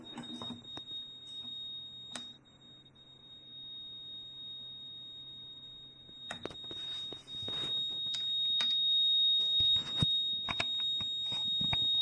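A thin high-pitched tone sounds without a break over clicks from handling; the tester is stuck beeping, cause unknown.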